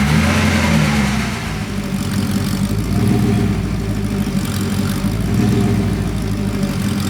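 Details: Porsche 928 V8, warm after sitting 10–15 minutes, struggling to idle and clearly out of tune. The idle hunts and lopes unevenly: rough idle, rich mixture. A mixture tweak afterwards made it better but not perfect.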